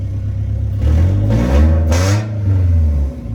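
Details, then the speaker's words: Integra after the vacuum leak repair, still cold at about 1000 rpm: a smooth idle, then a quick clean rev blip that rises and drops back evenly without hesitation or hiss. The rev response is normal. "what a beauty look at that we're chilling at a grand right now but when it starts to warm up it will come down from that"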